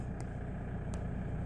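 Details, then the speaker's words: Toyota Innova diesel that cranked but died within a second, after replacing the faulty injector driver module: even, steady low rumble at idle with no stumble, just two light clicks; normal idle. "இதில் injector driver model தான் problem. So அதை மாற்றினோன்னே வண்டி பக்கா start ஆகிடுச்சு."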